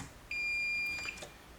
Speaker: and I'm just going to check on both sides of the fuses using the diode tool okay because that will tell me there's continuity between these two